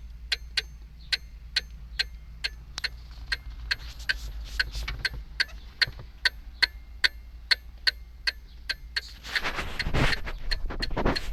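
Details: Jeep Wrangler no-start: sharp, evenly spaced clicks just over two per second from behind the dash, starting as soon as the battery is connected. Starter fuse good; relay, battery and starter renewed. Owner suspects the brake-alarm circuit's relay or fuse.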